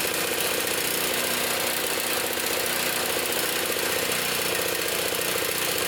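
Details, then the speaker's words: Trash-picked Toro Power Clear 621 E snow thrower, 163cc OHV four-cycle, previously wouldn't run, first start after repair, primed, choke on, warming up: quick even firing, no misses or surging, sounds good. "sounds good let it warm up"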